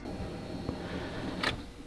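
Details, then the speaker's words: Freshly built engine before its first start: with the key on, a brief electric whir for about a second, then it stops; the fuel pump is priming normally and the gauge confirms fuel pressure with no leaks. "and now we can go to our fuel pressure gauge and make sure we have pressure bam we got pressure"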